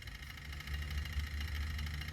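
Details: Toyota Hilux KUN26 3.0 turbo diesel after turbo driver module replacement, codes P0047/P2564/P2588 cleared: steady, even low diesel idle with a faint light chatter from the turbo actuator stepper motor; runs smooth and healthy.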